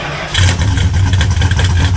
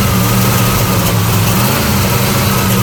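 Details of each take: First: 1975 Plymouth Roadrunner after an engine swap, fired right up on the key without pumping the pedal, then settled into a steady, even low idle with no misses or knocks; healthy start and idle. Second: '75 Plymouth Roadrunner engine, after a carburetor fire and choke adjustment: loud V8 idle that wavers and lumps unevenly, never settling, backfires when throttle touched; rough running from an intake gasket leaking vacuum.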